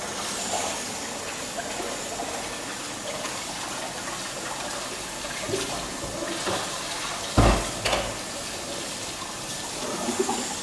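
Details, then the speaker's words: Presto pressure cooker cooking ketupat on gas, flame turned down then raised slightly, about 15 minutes in: steady, even steam hiss without sputtering, weight needn't spin or rock, meaning pressure and temperature are sufficient. Normal steady steam venting. "Oke masih terdengar ya bunyinya itu ya jadi kayak gini udah cukup nggak terlalu kecil dan nggak terlalu besar nggak harus sampai muter-muter sampai goyang-goyang ya kalau uapnya sudah keluar seperti ini berarti tekanan dan suhu di dalamnya itu udah cukup"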